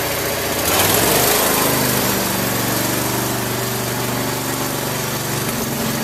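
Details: Craftsman lawn tractor after no-start repair with new carburetor parts including float needle valve, idle over a year, full gas tank, warming up: steady, even single-cylinder beat at fast idle, no misses or knocks; normal running.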